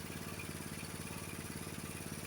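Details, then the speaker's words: Honda HS724 snowblower single-cylinder engine idling after adjustment, tach reading about 2130 rpm (spec about 2140); fast, steady putter with even beats, no hunting or stumbling, normal idle. "Twenty-one 2130, that's pretty close, okay? Can you see that? That's where your idle should be on the 724."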